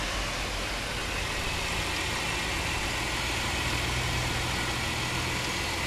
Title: Chrysler 300M 3.5L knocking noise